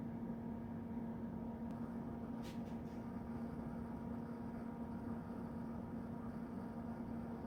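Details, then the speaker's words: TLA 5204 unit booting Windows 2000 Professional via external display: low, even fan hum with a few faint hard drive ticks; fans and hard drive running normally. "oh okay windows 2000 professional and it sounds like everything's running good in the background i heard the hard drive clicking away fans running got our desktop"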